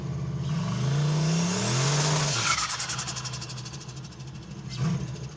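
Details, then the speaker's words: Mazdarati 2.0 turbo at the drag strip: revs climb then stumble and fall flat on partial throttle when staging, before recovering; bog traced to an untuned part of the fuel map. "I think I know what happened there's a spot right here when you start stalling it where it bogs if you just hit it it doesn't do it but if you try to stall it a little bit it there's a part in the map that is not tuned"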